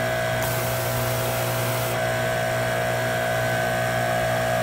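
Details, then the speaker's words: Electric Kärcher pressure washer, 10–20 years old, with intermittent motor noise when pressurized, worsened after hammering during repair: steady motor hum with faint whine running on without water load, not sealing; keeps running, off button won't stop it. "not making a seal see the nozzle there's no water this thing is doing something all by itself"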